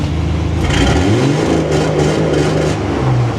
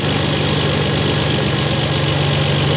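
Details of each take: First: Dodge L-head flathead in a vintage off-road wrecker, new EFI on MaxxECU Mini: engine revs hard then holds a slightly stuttering roar on the fuel-cut rev limiter, overshooting to about 3,100 rpm or higher; fuel-cut rev limiter engagement. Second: Dodge L-head flathead in a vintage off-road wrecker, new MaxxECU Mini EFI, idle screw adjusted: smooth, even hum at about 1,000 rpm, idle air duty 8%, 14 V, no knocks or misses; normal idle.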